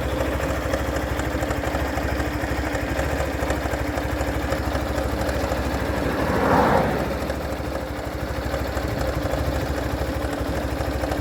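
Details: Hero Thriller 160 cc motorcycle engine: steady single-cylinder idle with an uneven tapping about three times a second on top; abnormal engine noise, cause unclear.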